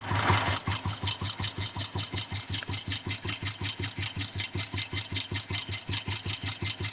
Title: Royal Enfield cast iron 350 ..piston knocking sound ?